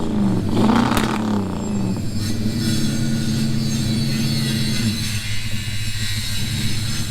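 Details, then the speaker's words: V8 reversing up a driveway hill; the gearbox is fine. A deep rumble bogs and drones under load without picking up cleanly. The engine is struggling under load and still needs a tune (plugs, timing). "Yeah, I know, it's not liking being under load, but we do need to tune it with some plugs and all the rest of it, some timing."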